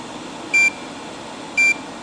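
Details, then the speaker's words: OBD link connector plugged into a car with loads switched on to pull the battery voltage down: two short, high-pitched beeps about a second apart over faint room hum, the connector's low battery voltage warning. "Now you can hear the audible warning starting to indicate that the battery voltage is low. It's very useful when you're doing diagnostics, so especially programming or coding."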